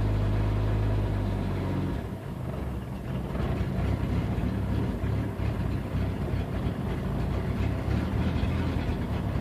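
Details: 1992 Jeep 4.0 liter with an intermittent idle: steady at first, then lumpy and irregular. Fuel pump ballast outputs 10.5 V and fuel pressure holds at 10 psi. Bypassing the ballast and swapping the MAP and AIT sensors changed nothing; the fuel pump was recently replaced. Cause not found.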